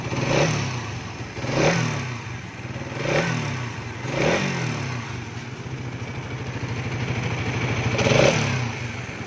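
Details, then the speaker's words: 2024 Suzuki Raider 150 Fi single-cylinder motorcycle, odometer 1,002, repeated throttle blips: loud metallic clatter rising with each rev from noisy cam chain tensioner; fix is resetting the tensioner. "So, ganun siya kaingay. So, ang gagawin lang naman natin dito, simple lang. I-reset lang yung kanyang tensioner."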